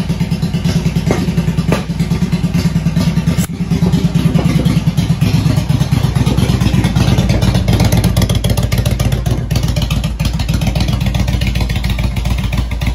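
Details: Motorcycle jump-started with a Milwaukee impact gun battery, owner reports kill switch trouble: steady low thump with light clatter, holding speed without stumbling; normal running.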